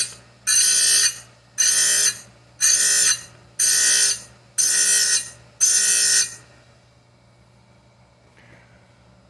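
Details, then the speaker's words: Oregon chain grinder dressing its wheel to grind a Stihl Hexa chain: low motor hum under six evenly spaced hissing rasps about once a second as the dresser touches the wheel; normal wheel dressing. "i've previously done this that is enough dress on this wheel"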